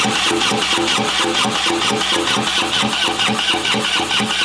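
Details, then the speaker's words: Harley V-twin being revived, with a dry fuel pump just primed: steady fast cranking at about two beats a second and the starter grinding, but it never fires; owner suspects badly plugged injectors. "I think the uh I think the injectors are pretty well plugged up"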